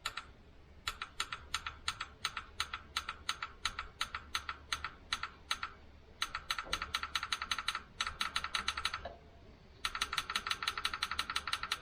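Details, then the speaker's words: Jaguar XJS V12 suspected stuck fuel injector manually triggered with 12 volts (normally runs on three or four) to shock it free: crisp sharp ticks in bursts, about three a second, with pauses; injector clicks when energized. "let's see if it clicks is clicking so i'm going to do this a couple times now and if we're lucky this will sort of free it up"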